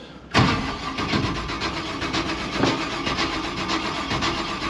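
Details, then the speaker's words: 1956 Chevy big-block gasser wagon, long unstarted after sitting in a snowbank, cold chilly day, fresh battery: long uneven cranking with ragged firing, never settling to idle after pumping the throttle; probably no fuel in the carburetor bowls. "give her a few pumps oh yeah she'll go got no fuel in the bowls probably"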